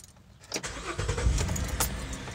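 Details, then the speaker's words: Car with clicking no-crank complaint caused by loose battery terminals, after terminals cleaned and retightened: brief quiet, then starter catches and engine fires straight into steady idle; starts cleanly, fixed. "I've started the car about a dozen times and now I cannot get it to have that same problem so I'm gonna have to go ahead and call this one fixed"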